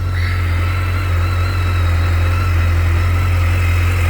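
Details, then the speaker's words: 2010 BMW K1300GT motorcycle at a cold start: deep, even hum at a steady idle with no misses, knocks or rattles; sounds good and strong, no smoke, healthy normal idle. "Sounds good. Strong. No smoke."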